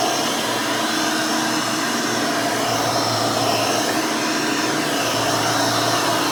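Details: Hoover Elite 600 upright vacuum rebuilt with a new 7 amp motor and a retrofit 20-blade fan from 12 amp models: steady high whoosh with even motor hum, no wavering or rattle; runs smooth, fairly quiet, almost like the original 6 amp.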